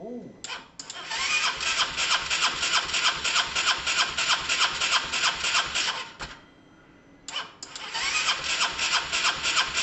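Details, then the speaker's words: Honda SH125 after a new relay was fitted: two bursts of starter cranking at roughly three turns a second with an odd kick, but it never fires. No-start; owner suspects fuel not yet reaching the engine. "that was interesting guys there was some sort of kick there was some sort of kick something um i'm gonna try again a couple of times in case it's just all the fuels just getting around"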